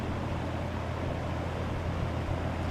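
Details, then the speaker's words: 1963 GE F15W13 electrically reversible box fan on medium speed: smooth, even low whoosh with steady hum and no rattle, scrape or wobble, quiet and moving lots of air; normal running. "These old fans really move the air, and they're quiet and they're smooth."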